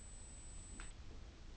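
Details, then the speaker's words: LED strip light controller recorded with the microphone held very close: a thin, steady high-pitched whine that holds constant, then cuts out abruptly when switched off; coil whine from the LED controller causing the strip's buzzing noise. "now this is what is actually causing all the noise and I'm gonna put it the camera really close to it so you actually hear it"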